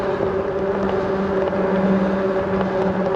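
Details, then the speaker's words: Himiway Cobra fat-tyre e-bike coasting fast downhill on tarmac, motor only occasionally kicking in. Steady, even hum from the fat knobbly tyres, normal tyre noise. "Yeah, those fat tyres make a nice humming sound as we go down the tarmac."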